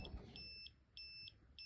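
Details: Kimi 3-wheel kids' electric scooter that won't run, brake switch already hardwired out: high, even beeps, about three a second, repeating without letup; continuous error beeping, owner suspects the control board.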